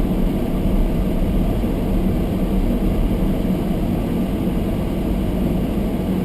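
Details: Almost-new Toyota Prius hybrid, temperature below zero, fogged windows: demister fan turned up hard on windscreen, steady even rushing roar with low hum, no knocks; camera close made it sound louder than in cabin; normal.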